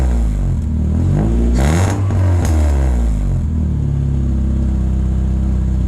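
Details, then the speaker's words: Vauxhall Corsa B Sport with X16XE engine, free revving with no catalytic converter fitted. Deep, even note climbing and dropping with each throttle blip, raspy exhaust edge; pops and bangs when driven hard. Healthy engine. "so yeah it sounds good it's raspy uh when you take it out it pops and bangs"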